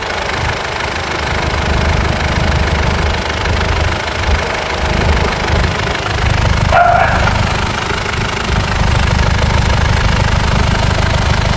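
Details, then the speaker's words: Mitsubishi Pajero 4M41 3.2L diesel, first start after cylinder head/top overhaul (fuel system bled via heater plugs): steady, even diesel clatter at idle with low rumble, no misses or knocks; normal healthy idle. "So engine on. First start natin. Engine on. Start. Ayan, okay na yan."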